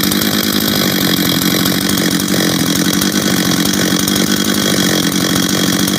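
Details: Husqvarna 385 chainsaw, first start after reassembly, first heat cycles: loud, steady high-pitched buzz holding even without surging or dropouts; starts and restarts easy, throttle response good, idle good, chain brake works — normal running.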